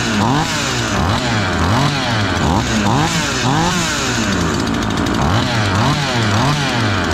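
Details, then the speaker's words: A ported Husqvarna 543XP and a Cologne 843 chainsaw, needing break-in, run at high speed: each warbles and four-strokes in a rich, burbling rhythm instead of screaming clean, which is good for break-in. "They're both four-stroking, which is good."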